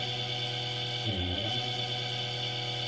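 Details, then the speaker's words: Induction motor on open-loop control with no feedback, fed 36 V at low speed: loud, coarse magnetic hum with a wavering growl as it draws a lot of current; motor overexcited, voltage too high for frequency. "if we add this to $36 right now you can hear it's not happy at all as it's drawing laser current yes"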